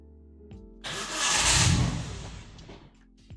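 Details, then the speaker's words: Turbo engine swap into a Ford, just started: it catches with a short rising roar, then fades and dies within two seconds; it runs only with throttle and has no idle, and the owner suspects the spark plugs. "you see it just want to die immediately could be that the spark plugs are just"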